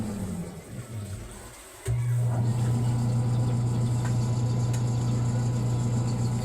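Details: Single-tub washing machine motor, drained and running empty: starts with a thump, then a steady even hum; sounds fine unloaded but stalls after a few minutes with water and clothes, blamed on a weak run capacitor.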